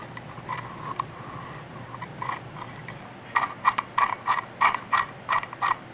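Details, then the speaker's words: 1960 Plymouth Fury steering column shaft turned by hand; scratchy, dry clicks in uneven bursts about three per second. The steering column bearing is dry and rusty. "that didn't sound really very nice that is dry and it's rusty so since we're here I'm gonna pull pull that bearing out and recondition it"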